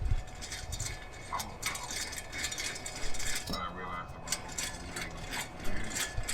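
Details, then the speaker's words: Infiniti M35 rear-wheel-drive front wheel hub, just removed and turned by hand: gritty, irregular metallic rattle and clinking; worn wheel bearing. "Those are the bearings."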